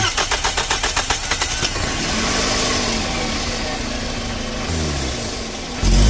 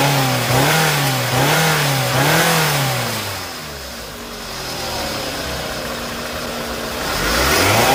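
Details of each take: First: 2nd-gen Scion xB engine cranks, catches and revs with a sharp hissing puff over the exhaust, RPM pulsating and power loss on acceleration; exhaust leak at the flange gasket between exhaust manifold and pipe. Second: Scion xB 2nd gen that had a loud engine-bay hissing, pulsating rpm and power loss on acceleration. After the repair, on a hot engine, it revs in smooth, clean rises and falls with no hiss or hesitation: normal running.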